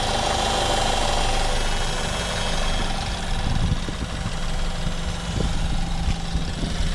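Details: BMW F30 with 6,000 miles, bought from Copart, just started after long attempts: loud, rough idle with an uneven clatter over the engine note; source unclear, cause not confirmed.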